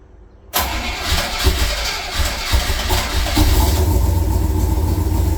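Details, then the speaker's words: 1966 Chevrolet Corvette Stingray cold start in January at about 11–18°F after 10 dry and 10 cranking throttle pumps; catches after short crank, settles into high, slightly uneven deep-rumbling choke idle. Cold start fast idle. "it's very C oh yeah very cranky very very cranky woo hope you enjoyed that 10 dry pumps 10 cranking pumps it's on high idle"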